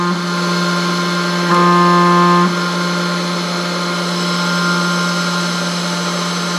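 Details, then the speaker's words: 3018 CNC after Z-axis linear rod fix, set screws tightened: spindle hums steadily at one pitch with only slight rattle underneath; less rattling than before, which had caused endmill chatter on an aluminum cut, though linear rods limit improvement. "well i definitely think it sounds better not as much rattling it definitely is improved but this thing's never going to be perfect because you're using linear rods"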